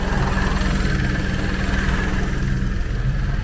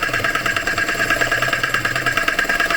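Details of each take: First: 2018 Vauxhall Crossland X, 33,000 miles, after repair of engine noise complaint, oil and filter change and reassembly, idling with AC on, vent at 9.6°: low steady idle rumble, compressor engaged, even pulse, no knocks, rattles or whine. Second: Vauxhall Crossland X, customer reports a funny noise; idling petrol engine with a fast, harsh rattling clatter from the air conditioning pump; bearings or the clutch itself suspected failed, as if it had no oil.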